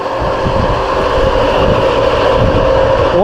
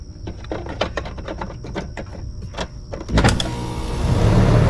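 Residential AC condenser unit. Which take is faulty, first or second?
first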